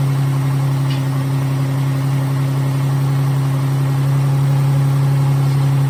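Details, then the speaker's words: 2011 Dodge Nitro six after replacing worn rocker shaft/rockers that caused lifter noise and misfire, on jump box, accessories off: smooth even idle, no ticking or stumble, rising slightly with throttle; all six cylinders firing. "[Music] no more lifter noise all six cylinders are there"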